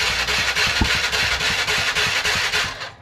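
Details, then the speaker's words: TVS Ntorq BS6 scooter after repair of a tak-tak engine noise traced to the magnet side: engine catches and settles into a quick, even beat with no loose knocking; normal start and idle, smooth and healthy. "देखिए अभी देखिए कितना smoothly sound है कुछ भी problem नहीं है अभी गाड़ी में कुछ भी प्रॉब्लम नहीं है"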